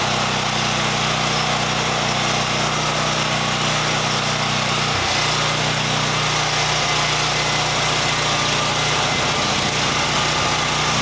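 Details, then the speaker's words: Champion EFI generator after an easy fix to its fuel pump: steady, even buzz at constant pitch with no misses or surging, running smoothly. "Well, that was an easy fix."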